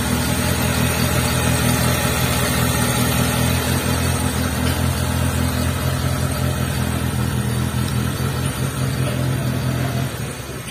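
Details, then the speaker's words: T120SS carburetor engine that starts easily but stutters at part throttle, with thick black exhaust smoke showing incomplete combustion: an uneven, chugging, stumbling beat. Possible causes named include oil fouling the distributor via a leaking seal, a dirty carburetor and ignition parts. "angkatan gas tanggung itu tidak halus ya menyengat seperti itu dan untuk asap untuk asapnya kelihatan hitam pekat seperti ini"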